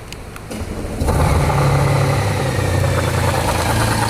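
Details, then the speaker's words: 2019 Honda Gold Wing automatic that fell on its right side, noise now from that side: starts and settles into steady, fairly even idle; no clear tick or knock stands out; abnormal engine noise suspected, not confirmed. "तो गिरने के बाद में जो है यहां से इधर की साइड से आवाज आ रही है"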